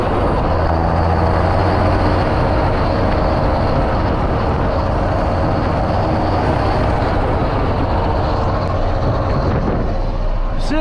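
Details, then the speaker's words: Tractor diesel ("Janusz"), power raised, heading out to load kieserite: loud, continuous diesel drone with a rough croaking chatter underneath; inefficient worn injectors over-fuelling since the power increase cause injector knock. "takie rechotanie jak sami słyszycie ale jest co jest taka ciekawostka też to się zaczęło on zaczął inaczej pracować ten silnik jak mu podnieśliśmy moc po prostu niewydolne wtryski zwiększona dawka paliwa i efekt taki jaki słychać"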